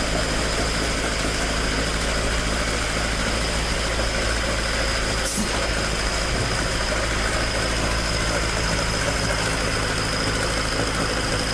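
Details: Toyota AE86 with 4A-G engine after exhaust leak repair, stock exhaust: a steady, even idle with a clean, unbroken exhaust note and no leak ticking or puffing. Normal exhaust note.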